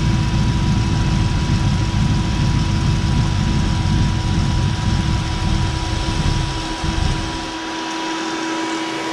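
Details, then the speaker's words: 1965 427 Shelby Cobra replica with a 2003 Mustang GT 4.6 V8 and 5-speed manual, after fuel priming: lumpy idle that dies after about seven seconds, leaving a steady whine. The owner suspects low fuel pressure, possibly the pump location, the regulator or a sensor. "definitely fuel related it could be a sensor but my gut is still telling me that it keeps stalling out because there's not enough fuel pressure"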